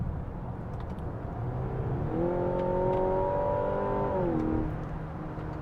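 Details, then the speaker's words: 2025 Mazda CX-70 plug-in hybrid, four-cylinder engine kicking in from EV mode in normal drive mode under mild throttle; drone climbs and holds, loud and coarse for so little load; loud engine noise under light throttle. "it's so noisy it's so noisy and even under mild throttle application the four cylinder is is noisy"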